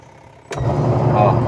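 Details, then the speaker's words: Washing machine after gearbox replacement, refitted with nothing catching: motor kicks in halfway to a steady low hum with no scraping; runs quietly and normally. "Oh, okay na. Tahimik na."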